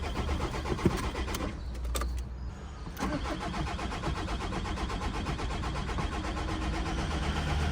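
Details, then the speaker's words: 2003 Audi A3 1.9 TDI that sat through winter in the cold, with a battery brought along to revive it: the starter turns briefly, then the diesel catches and settles into a steady low idle. It starts normally. "Ja vaatame nüüd, kas ta läheb käima."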